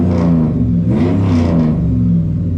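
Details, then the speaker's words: 2003 Hemi Ram 1500 V8 with 426,000 miles after throttle body replacement for a flashing lightning bolt: deep, even rumble rising smoothly on light throttle blips. Runs healthy after being badly loaded up. "sure sounds good, I gotta say that, man."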